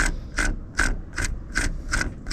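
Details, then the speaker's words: Manual gearbox, clutch pedal pressed: sharp metallic chirp about every 0.4 seconds over a low rumble. Possibly a pilot bush or bearing (brass bush or small bearing) at the input shaft end in the flywheel, which sounds when the clutch is down. "puede ser un buje de latón o un simple balero que comienza a sonar cuando el clutch está abajo se escucha como esto"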